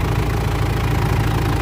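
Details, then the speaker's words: Mitsubishi L200 Triton 3.2 diesel, cold idle after timing chain replacement for noise that appeared at normal operating temperature; even clatter, no chain slap or rattle; normal idle. "Olha o barulho da bruta aí, ó. Que barulho mais bonito. Zerou, pessoal. Zerou. Lindo esse barulho, hein? Lindo, lindo."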